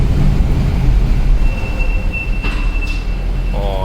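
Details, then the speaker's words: Mercedes C63 AMG rolling slowly to a stop: a thin, steady high-pitched brake squeal over a low rumble, said to worsen when brakes are cold or wet; washing the brakes is given as the fix. "that's the worst thing in the world that sounds when you're driving slowly oh you guys hear that that sound is the worst sound in the world when you're underground or even just coming to a complete stop at a stoplight"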